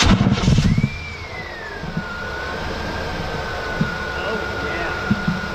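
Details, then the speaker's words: K1500 with new engine, just after fitting a Continental Elite serpentine belt to cure chirp and squeak: thin steady squeal just under idle noise, much quieter than the old belt; slight remaining squeak from the tensioner. "that sounds really here that belt actually works this belt is a whole lot quieter than the old one"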